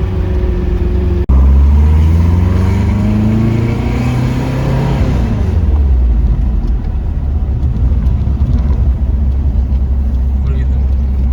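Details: Porsche 914, newly built 2056 cc engine, dual throttle body MegaSquirt EFI, performance cam, enlarged valves, Tangerine Racing exhaust, 123Ignition, road test in basic tune: deep throaty exhaust rising smoothly under load to high rpm, no misses; healthy.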